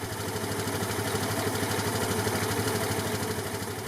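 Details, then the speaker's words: 2003 Vespa ET4 LX150 150cc scooter after carburetor cleaning and reinstall, started after three or four cranks, cold: fast even single-cylinder putter at high cold idle, steady with no stumble; normal idle. "so it took me about maybe three times of turning it over or four times and then started up and it's idling perfect it's at the high Isle because it's cold"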